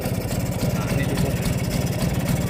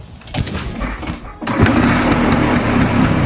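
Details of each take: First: Vespa two-stroke during carburettor idle and throttle adjustment: loose, lumpy idle with a steady tuk-tuk beat that sounds close to stalling but keeps running; normal Vespa idle. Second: Vespa two-stroke, test before carburetor service: starts then runs with ragged, uneven putter and stumbles; weak, slow, stuttering performance; carburetor to be dismantled and serviced.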